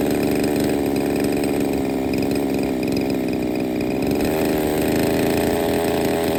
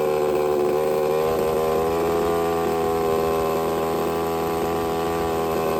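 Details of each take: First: Used Redcat Rampage XB RC car with a Walbro 990 carburetor, hard to get running: small two-stroke buzzing steadily at high idle, pitch rising and falling slightly, fairly even but rough-edged. Starts, but has major issues. Rough running. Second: Used Redcat Rampage XB RC car with Walbro 990 carburetor after needle adjustment, choke removed: buzzy two-stroke note at steady pitch with no misses, stumbles or surging, running smoothly.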